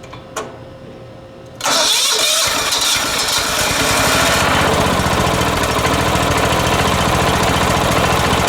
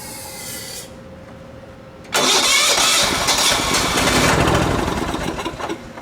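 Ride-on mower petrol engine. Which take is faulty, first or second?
second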